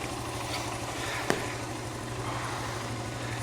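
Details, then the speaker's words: 1980s Honda dirt bike single after carburetor rebuild and choke lever fix, started in about five kicks: steady even idle, smooth light patter like a sewing machine, no knocks or misses; idle may need slight adjustment. "Listen to that, man. Sounds like a sewing machine. What a fantastic little bike."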